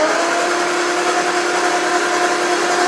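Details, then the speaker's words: 1959 Aston Martin DB4 barn find, not started since 1982 at the earliest, first turn of the key: engine spins freely, smoothly and evenly with big blows of air from the open plug holes. Free cranking; engine not seized. "yes what's that is that turning over that's turning over fabulous"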